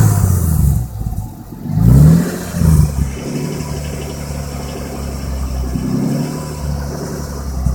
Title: Xr6 turbo engine knock slap